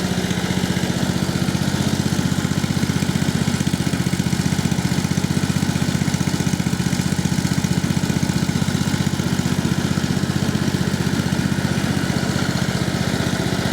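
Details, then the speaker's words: New engine in a Husqvarna LT1538/LT1597 lawn tractor, hood off, idling after the exhaust muffler was rebuilt by TIG welding; steady, even idle with a soft, muffled exhaust note and no misses. It runs smoothly. "so there we have it pretty much it's just idling along there of course we don't have the the hood on and pretty happy with the way it's sounding so far"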